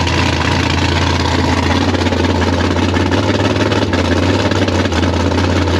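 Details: Gasser C10 carbureted race V8 with 71 primary jets: lumpy, uneven idle with occasional sharp pops; popping at idle, owner suspects lean jetting, cause not confirmed.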